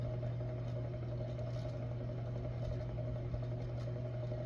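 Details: Hampton Bay Gazebo Plus 52-inch ceiling fan, early-2000s, recorded close up: steady low hum with a faint higher whine at constant pitch; owner calls it a bearing noise but doubts the bearings are dry.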